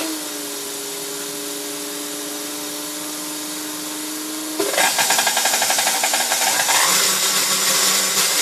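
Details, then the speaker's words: 1960s KitchenAid Model 4C mixer restored, worn speed control plate replaced: steady motor whine then louder run with fast regular beat three to four per second; holds steady speed, slight speed skip remains, governor weights bounce; normal running. "it still has a little little bit of a skip on speed too but this thing goes at a steady speed"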